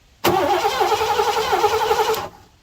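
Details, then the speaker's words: 1987 Mercury Grand Marquis LS, abandoned since at least 2017, turned over without fresh lubrication: about two seconds of brisk, even cranking with steady starter whine, no drag; strong cranking, engine not seized. "Oh, that's strong. Yes. Okay, she's a runner."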